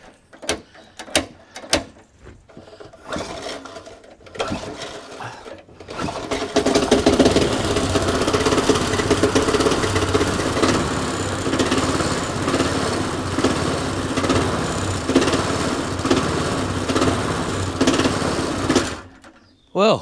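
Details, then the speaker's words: Restored lawnmower left outside two years: small engine catches after a few pulls, hunts and cuts out with a light knock, then stops; owner says it needs a new carburetor diaphragm and gasket. "you go it did run its hunting I'm not too wild about that little knocking noise you can probably hear that's only because it's kind of cut out all the time so when it's actually running up to speed actually runs it sounds quite nice so it just needs a new diaphragm and gasket"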